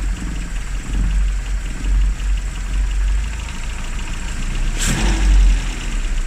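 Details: Classic Rover Mini (Riley Elf), points ignition, finally started after three months unused on a very cold day: low steady idle with deep even thrum and one brief sharp noise. Normal idle; advice to run at least 30 minutes after a lay-up.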